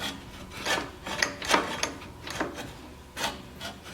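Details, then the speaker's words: 1953 reel mower after loosening the bolt and turning the bed-knife cam: light rasping swishes as the reel is turned by hand, blades just starting to contact the bed knife; the adjustment is correct. "See? It's just starting to make contact, so that's good right there."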